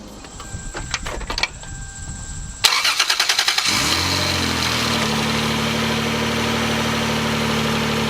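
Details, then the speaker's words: 1995 Lexus SC300, 5-speed, 232,000 miles: engine cranks, fires and settles to idle with a raspy, puffing edge from an exhaust leak in the mid-pipe, found at a dealership pre-purchase inspection; mid-pipe replacement is recommended. "and as you can hear there is an exhaust leak in the mid-pipe"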